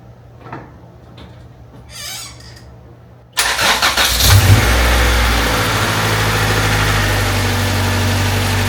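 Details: Honda Civic EG Mugen hatchback four-cylinder first start after valve seals, timing belt and water pump replaced, timing and distributor set, no leaks overnight: fires straight away after a quiet pause and settles into a smooth, even idle with no misses or knocks; healthy.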